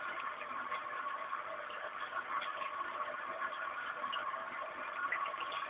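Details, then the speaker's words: Newly installed cat water fountain: its pump gives a soft, steady hum with a trickle of water and no rattle or surging; running normally. "et à gauche donc cette tribune que vous entendez c'est la pompe à eau"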